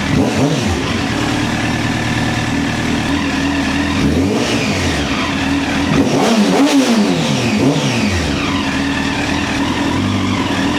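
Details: 2009 Honda CBR1000RR Fireblade at 61,211 km, started with a jump pack: idles, then rises and falls cleanly through several quick revs with no misfire; runs healthy.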